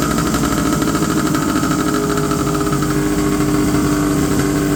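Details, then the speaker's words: 1970 Polaris Mustang snowmobile two-stroke, after turning both carb idle screws down a quarter turn: fast, steady buzz still holding an even high idle; the screws didn't help, so the throttle cable adjustment is next. "okay my idle screw didn't seem to help at all so I'm going to adjust these the the adjustment on the throttle cable itself"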